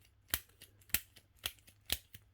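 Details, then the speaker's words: uPVC front door barrel lock, old and stiff: sharp metallic clicks as the key fails to turn smoothly, then sticks and won't turn; worn sticking barrel needing replacement. "As you can see, if your key doesn't turn in it smoothly, you can hear the clicking. Look, now it's stuck. I can't turn it."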